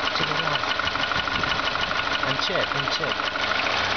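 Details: VW Golf 4 1.4 engine at idle with quick, fairly even ticking about three per second that keeps going; source unclear.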